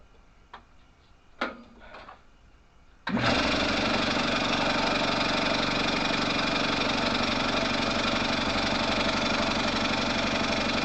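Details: Air compressor after head unit repair and remount on tank, first test run: after handling knocks it starts and settles into fast, even chugging about four beats a second; runs well.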